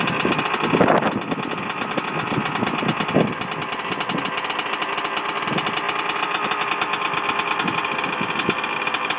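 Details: Two-stroke engine on its first kick-start after a rebuild: crisp, rapid buzz holding an even, steady rhythm after the first throttle blips; running cleanly and healthily.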